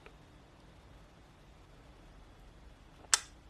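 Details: Argus 4 thermal imaging camera, a decommissioned fire-station unit bought not turning on, now powering on: a quiet room, then one sharp mechanical click about three seconds in as the shutter cycles at start-up.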